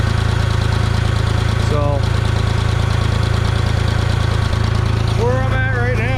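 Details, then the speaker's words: 1974 Ford 3550 industrial tractor, sat 18 years, warming up with coolant bleeding before idle is lowered; carburetor floods if choked: steady even low idle about three and a half pulses a second, no knocks, misses or smoke; normal idle. "sitting there running pretty good it doesn't smoke or nothing it just it just sits there and idles pretty good"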